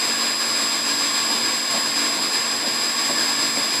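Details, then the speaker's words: Pump station pump motor running while pressure oscillates between about 92 and 127; steady high-pitched hum with even hiss, no knocks or surges; normal running. "So it's between 90 to how smooth the pump is running. Perfect. That's the way it should run."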